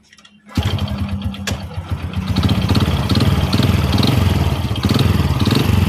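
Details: Honda Supra X motorcycle started and idling: rough, lumpy run with a steady deep knock from mid-engine, a worn connecting rod needing engine teardown.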